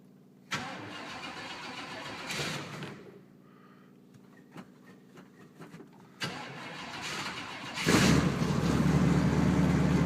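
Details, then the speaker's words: 1966 Chevrolet Impala barn find, sat two years: two long stretches of steady cranking after pumping the gas, then it catches into a rough idle; it later smokes on one side. "it actually fires and will run that sounds like it's little on gas there she [Music] goes yeah so the car actually does run which is a plus for sitting in a barn for 2 years"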